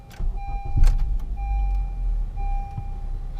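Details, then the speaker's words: 2015 Honda Accord 2.4L K24 GDI four-cylinder, restarted after a one-hour heat soak following CRC GDI intake valve cleaner: catches quickly, then idles with an uneven, wavering, stumbling beat; runs rough, check engine light flashing, no codes stored. "I don't know if you guys noticed during the video but the engine was running really rough as it will and the check engine light was flashing"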